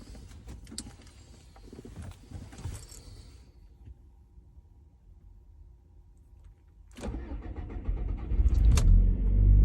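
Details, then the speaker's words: B7 Audi restarted warm (coolant 66°C, intake 62°C, rail pressure 1700 psi): a long crank that stumbles and surges unevenly before the engine finally catches; recurring hard start, cause unknown. "see that wasn't great that was not as bad as it normally gets but it wasn't very good"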